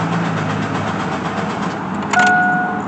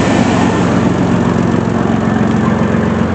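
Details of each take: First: Chevy Blazer ZR2 after fuel pump relay swap: steady rhythmic cranking, engine never catches, then a chime; fuel pump heard running but no fuel reaching the engine, owner suspects fuel pump. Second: Chevy Blazer ZR2 running again after sitting about a year with no fuel to the engine, following fuel pump work in the dropped tank: steady, even idle with a smooth low rumble, regular firing and no misses or knocks.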